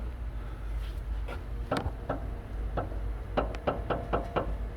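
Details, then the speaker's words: Chrysler/Dodge inner tie rod worked by hand after the 18 mm nut is loosened: dull irregular knocks, two to four a second. Worn inner tie rod with in-and-out play. "So just like that, this will come up. You hear that noise? So that's what making the noise."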